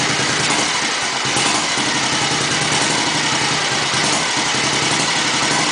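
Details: 1954 Matchless G80S single, restored from a basket case over three years, on its first start after 30 years. The big single thumps along at a steady idle under hiss and clatter, running evenly with no misses: normal idle.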